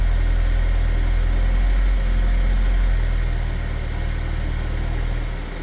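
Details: 2010 Chevy Equinox, about 112K miles, after Seafoam ring cleaning and air box refitted: steady, even low rumble with a smooth regular beat, no misfire or ticking; normal idle.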